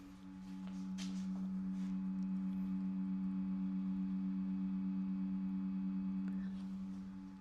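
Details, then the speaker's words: 2025 Chevy Silverado 2500HD with aftermarket LED headlight bulbs, once warmed up: a steady low hum with a faint higher whine from the bulbs' built-in cooling fans, growing slightly louder. This is normal operation. "I'm not sure you guys can hear that, but there's a slight humming coming from these fans inside. It's a little bit louder now."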